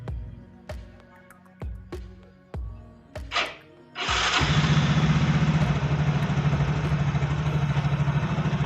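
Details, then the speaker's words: Yamaha Fino automatic scooter at idle before CVT teardown: after a few clicks the engine catches and settles into an even, steady low putter with no knocks or rattles; idle sounds smooth. "kang Bro untuk suara mesin pada saat putaran langsam seperti ini terdengar halus ya"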